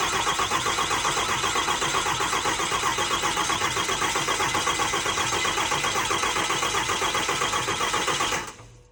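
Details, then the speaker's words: 6.4L Cummins diesel just installed in an 07 quad cab, first start attempt on old tuning: cranks evenly about four turns a second for eight seconds, never fires; crank no start, cause unknown. "All right, so clearly something's not happy because it cranky, no try to start."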